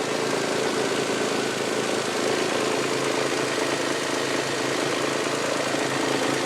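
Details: 1999 Toyota Sienna petrol V6 at start-up after light revving: dense clatter and loose tapping about three a second, like something hitting the valve cover, began after six NGK iridium plugs and an oil change, also heard around 2300 rpm driving. Engine tapping.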